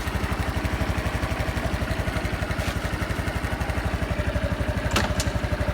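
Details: Honda Super Cub 110 JA07, fuel-injected, fully stock, start-up check: a crisp, even single-cylinder beat of about four pulses a second, clean with no knocks or rattles; normal running with no abnormal engine noise.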